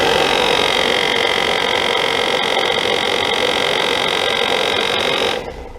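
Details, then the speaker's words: HVAC blower fan deliberately unbalanced with a zip tie and added nuts to mimic debris gives a loud, harsh roar with a strained whine and shaky buzz; the larger nut made the vibration intense. "All right, that last nut kind of made that vibration pretty intense. You could hear it."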